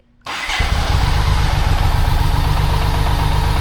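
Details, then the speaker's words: 1995 BMW K75RT after sitting 8–9 years, just fitted new Z intake pipe, started cold on choke: lumpy uneven idle about four pulses a second that never smooths out; rough cold idle. "So, we are still sitting right there. Um, and if I Yeah. So, to be fair, the bike isn't warmed up, but"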